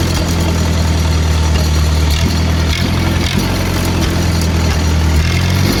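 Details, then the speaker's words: Lincoln SA-200 welder at raised idle: steady low even drone, no misses or knocks, rhythm holds smooth; quiet, healthy, quieter than 2-cylinder Millers and Lincolns. "Super nice machine. I love using it. quiet, smooth running machine. A lot more quiet than the 2-cylinder Millers and the Lincolns."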